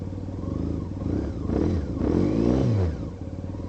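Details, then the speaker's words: 2001 Honda CBR F4i, about 3,100 miles, unridden 3 years, just had an oil change: about 2 minutes after starting, a deep, lumpy, uneven putter that sags and stumbles like it's dying out; owner suspects only a couple of cylinders firing. "Look like only a couple of cylinders are working."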